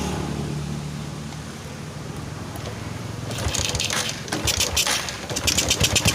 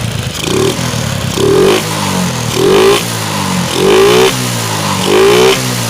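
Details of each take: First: Suzuki Shogun 125 motorcycle with DC ignition, previously dying from a dropped battery and charging fault, starts and idles unevenly and stumbles from an overly rich mixture, refusing to settle to a slow idle; carburetor inspected and cleaned with no fault found. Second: Shogun 125 after fixing ignition (dropped battery) and fuel-line fault causing stalling and misfiring, idle adjusted: five clean throttle blips rising crisply and returning to steady idle without stumbling; revs normally.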